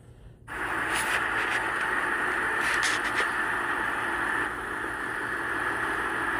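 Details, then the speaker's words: Car at auction pre-bid inspection: the engine catches within half a second and settles into a steady, even idle with no knocks or rattles. Sounds healthy; normal running. "It don't sound bad. Well, it runs. No knocks or rattles. That's a positive."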